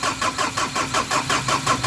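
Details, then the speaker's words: Ford Ranger after top overhaul, starter cranking with even beats about four to five per second, engine never catches; crank-no-start blamed on a leaf blocking it, engine started once leaf removed. "wait lang tatanggalin mo yung ano tanggalin mo yung dahon baka yan lang eh"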